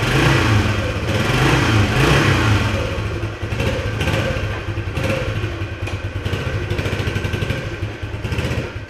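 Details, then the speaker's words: 1976 Honda XL175 single-cylinder after restoration and clutch pressure plate refit, started stone cold without choke, 10W-40 oil; owner suspects slightly gummed carb as it needs two or three kicks cold: steady low-rev thumping with throttle blips, even beat, no clatter. "usually when I ride it regularly one kick no choke cold and it is stone cold"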